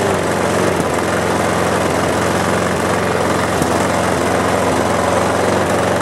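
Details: Mower running after the carburetor (diagnosed as the problem), fuel tank and air cleaner were cleaned. Steady, even drone with no misses, surging or knocks; it runs cleanly and normally.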